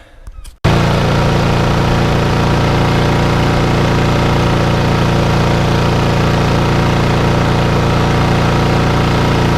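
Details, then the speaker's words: Lawnmower with RV 150 engine and Briggs airbox, just restarted after reassembly and left to run and smoke: small single-cylinder engine putters steadily with no misses or knocks; runs healthy. "okay so long one number five is now up and running and working exactly how it should be"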